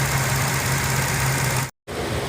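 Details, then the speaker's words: 2004 Infiniti G35 Coupe petrol engine idling smoothly with steady low hum, no shaking. "así que ahora el auto ya no tiembla"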